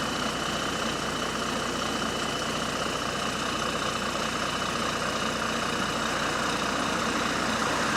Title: Exhaust Leak | GAL WVN49 On Bus Route 89 (Spot + 13)